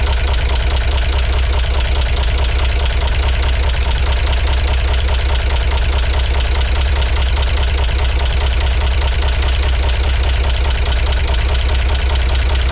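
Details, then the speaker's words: 1963 Corvair engine after resyncing the carbs from scratch: loud, low idle with a rhythmic knock tracking engine rotation, no change with the valve adjustment, possibly not from the valves; engine knock, source unknown. "so I don't know if I messed these two up or not or if that was even the problem cuz it sounds like it may not be coming from the valves after all"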